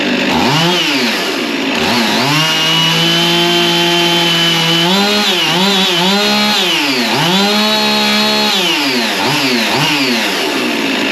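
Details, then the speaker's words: Husqvarna 55 Rancher chainsaw after a new carburetor and gasket, air filter and plug, with low and high jets adjusted: fires and revs cleanly, rising and falling with the throttle, then settles to a steady idle; running fine. "okay I've got the saw up and running as you heard but now all the things that went on while the camera was off"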